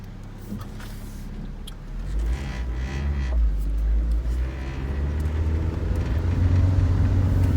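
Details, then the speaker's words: 2001 Saturn SC2 after Seafoam carbon cleaning and throttle body and IAC valve cleaning, formerly idling near 2,000 rpm: low smooth rumble settling into steady even idle; idle now normal. "while responses after cleaning that out idle seems to be a lot better"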